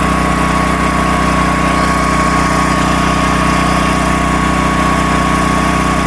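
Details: Predator 13,000 W tri-fuel generator heard just outside the shop door, no load, as voltage and frequency are about to be metered: loud but even, steady drone with a constant hum, no misses or knocks; running normally.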